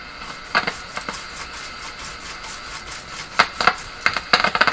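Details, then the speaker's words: Grundig Prima Boy Luxus radio with intermittent fault: irregular scratchy crackles and pops in bursts over quiet hiss whenever the set is moved; loose or cracked connection suspected, not confirmed. "any amount of movement makes that sound so foreign something else or I've already cracked it"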